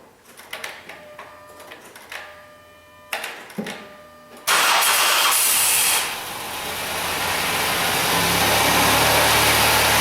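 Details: High-mileage 2008 Dodge Grand Caravan 3.8 V6 after engine replacement (old engine had P0303 misfire and burned coolant), first start with no coolant yet: a few starter clicks and whirs, then it catches, flares and settles into a steady, even idle.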